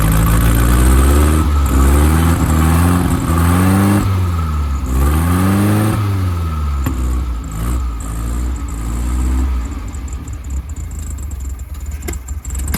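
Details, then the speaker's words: VW Wizard air-cooled flat-four, first run in this car, carb primed, distributor and timing not yet set: revs surge and stumble unevenly between blips; runs rough, needs a tune-up. "All he needs is a tune-up."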